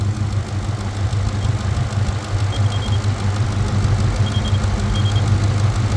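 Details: Truck idling, cylinder 3 misfire despite new spark plug, coil, pigtail connector and swapped fuel injector; owner suspects wiring or voltage, vacuum leak possibly found. Low, uneven idle with stumbling lope about three times a second; cause unconfirmed.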